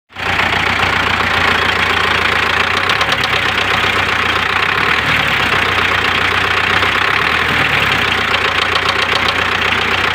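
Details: MTZ tractor with a D-243 diesel, idling: a sharp, clattery knock that appeared recently rides over the steady run; engine knock of unknown origin.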